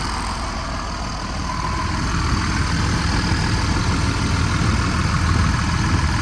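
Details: Diesel pusher RV with good oil pressure: deep, even diesel clatter at a steady warm idle with no misses, knocks or hunting; the engine sounds healthy.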